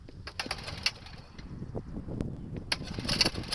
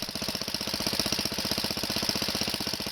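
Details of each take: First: Wheel Horse 704 garden tractor Kohler engine, restarting warm with choke applied when not needed: uneven cranking and stumbling firing before it catches into a rough run; hesitant restart from over-choking. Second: Wheel Horse 704 garden tractor Kohler single-cylinder, recoil starter realigned, running while warming with choke half on: even, quick putter about four beats a second, steady rhythm, no misses; runs fine.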